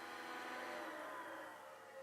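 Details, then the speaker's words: PS2 slim with a faulty disc spindle motor, at power-off: thin whirring tones that sag and fade as the disc winds down; the owner suspects lack of lubrication after long disuse. "oh yeah my disc job doesn't sound lubricated because i haven't used this thing in ages"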